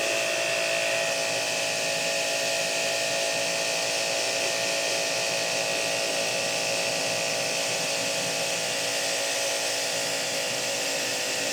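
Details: Hanabi JBD 8003 induction-motor pressure washer, 127V/110V, cleaning with the spare quick-fit 25-degree nozzle after an ill-fitting nozzle was replaced: even, constant motor-and-pump drone with spray hiss, no surging or pulsing; normal running.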